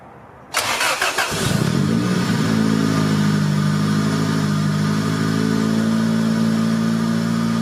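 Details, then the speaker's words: 1990 Honda Civic B20B just after installing untuned Crower aftermarket cams and Skunk2 cam gears, warmed up after short drives: starter catch, then low, slightly lumpy, choppy idle with uneven beat; valvetrain parts rubbing the valve cover. "three very small spin crews around the block warmed it up actually having a little low a little choppy I need to mess with it and see if I get to smooth out"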